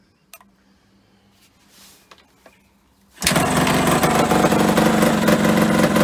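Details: Yamaha RD125LC two-stroke barn find, stood 17 years, kick-started with extra fuel: quiet, a few clicks, then catches at once and settles into steady crisp two-stroke run, no misses; it runs.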